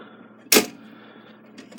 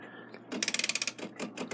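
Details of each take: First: Takeda 30-day short-drop octagon clock that stopped after it was wound (owner suspects overwinding): while winding there is a dull clack and faint slips with no ratchet clicking. The mainspring end is slipping off its hook. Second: Takeda 30-day short-drop octagon schoolhouse clock, time side wound with a winding key: crisp, quick, evenly spaced ratchet clicks; this side's winding ratchet catches cleanly and works normally.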